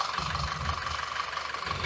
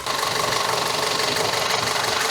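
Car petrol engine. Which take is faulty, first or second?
first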